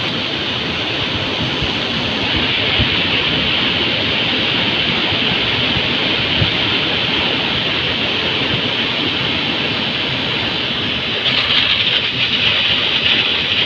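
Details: Heater blower motor (Volvo ventilation) fed from the fuse panel. Constant rushing hiss with a rough, uneven rattle underneath. Noisy blower motor.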